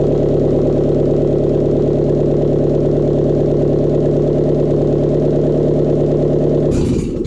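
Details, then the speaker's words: 2009 Subaru Outback, SOHC 2.5, 109,202 on the odometer, first start after a timing belt, idler and water pump kit, with no muffler, no coolant and the battery fitted temporarily: loud, steady, even idle, no knocks or ticks, clean shutoff. It runs normally. "I don't have any muffler on it. No water in it. There's oil. Put the battery back in temporarily. Start it up, see if it runs. If you're wearing headphones, it's going to be loud."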